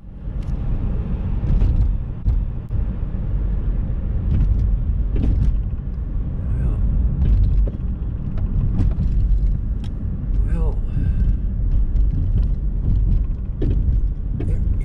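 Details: 2007 Hyundai Sonata, driving on the road: scattered dull clunks over heavy road rumble from the front passenger side, as if something is loose. The cause is not yet identified.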